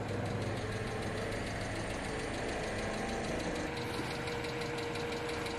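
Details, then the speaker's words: MINI Cooper idling after new coil packs, no misfire but check-engine lights still on: sharp, quick ticking over a steady idle; owner suspects valve-train tap from oil not changed in forever, cause unconfirmed. "because it's got a hellacious ass tap um I think it's just valve train because it hasn't had an oil change in absolutely forever"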